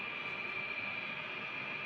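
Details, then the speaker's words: LG dual inverter split aircon after cleaning: steady fan rush and constant inverter compressor hum, no rattles; indoor blower still hums from its worn rubber bushing, which needs replacing to remove the noise; cooling fine, outdoor unit running normally. "Ayan, bali naugong pa rin yung kanyang blower sa ano yan, sa busing may goma yun. Napapaltan po yun mga tropa para mawala yung ingay dun sa ating aircon. Ayan, bali okay na yung lamig niya, naikot na yung ating outdoor LG, yan, dual inverter."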